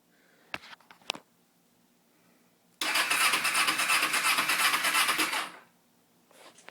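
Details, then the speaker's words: 2005 Kawasaki Ninja 250, battery fully charged, gas in tank, lights working, choke off: starter spins the engine at about three even compression beats a second for under three seconds but it never fires; cranks, no start. "all right this is my Kawasaki Ninja 250 2005 and it won't start"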